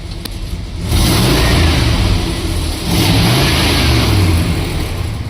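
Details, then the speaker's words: 1972 Plymouth Fury 440 big-block barn find, first run after sitting about a decade: deep throaty V8 bark swelling through two throttle blips and settling back; runs, idles and revs clean. "how fun is that yeah I am so excited I can hardly believe it actually runs but it runs and it idles and it sounds"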